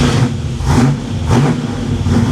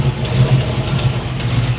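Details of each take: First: 1987 Chevy Monte Carlo SS V8, cold start on choke in neutral after new transmission and driveshaft install: deep, even rumble rising and falling slightly, no knocks or ticks; normal cold high idle before first shift into gear. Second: 1987 Chevy Monte Carlo SS V8 at idle after new transmission install: faint sharp ticks in loose rhythm over steady rumble; owner suspects header leak from one exhaust manifold/header bolt he couldn't install and must shorten.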